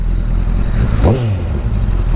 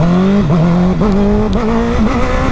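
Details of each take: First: Honda CBR1000RR without fairings, riding in traffic after fixing bogging and cutting-out power problem: clean rev blips rising and falling over steady rumble, pulls smoothly without stutter or cutting out; runs perfect. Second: Honda CBR1000RR under throttle: engine note wavers and sags instead of pulling cleanly, bogging and power cutting out; caused by chafed coil wires shorting.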